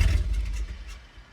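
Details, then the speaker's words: Dodge Dakota regular cab with manual clutch, just fitted with a used transmission: engine fires briefly with a short low burst, then dies within a second; out of gas suspected; engine starts then stalls. "Oh shit, it's dying right away. I wonder what that means."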